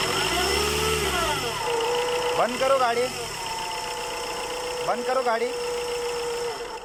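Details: Chevrolet Enjoy diesel idling with a steady mid-pitched hum and faint higher whine from the engine side; humming noise, worn pulley bearing possible, not confirmed.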